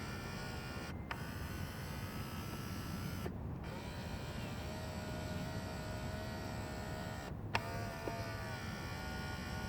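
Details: Acura door mirror after replacing the broken mirror actuator that clicked when reversing; smooth, even electric whirr with only short stops and no repeated clicking; normal mirror actuator operation.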